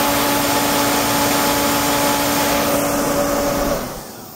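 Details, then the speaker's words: Torpedo Reddy heater, 115,000 BTU, igniter deliberately disconnected: fan roar with faint whine runs a few seconds then fades as logic board shuts fan off on failed ignition while AC power stays on. "as you see the cursing comes on and then the logic board tells the fan to comes uh to turn it off the AC power supply is still on"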